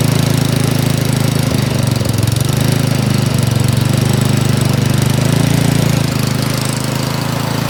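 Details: Troy-Bilt snowblower single-cylinder engine after a carburettor cleaning for a no-start: it runs fast and steady with an even, busy exhaust note and no misses or surges.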